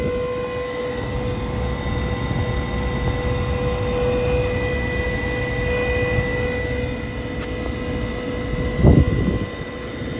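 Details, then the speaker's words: Gas furnace just fitted with a transplanted new heat exchanger, first firing with a little smoke burning off: steady blower roar with a thin constant whine from the draft inducer motor; owner may swap in a spare inducer, unsure it is better. "out yeah that draft inducer is is whining a little bit I don't know if that one's any better honestly"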